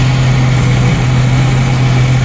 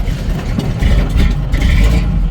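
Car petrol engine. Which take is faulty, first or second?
second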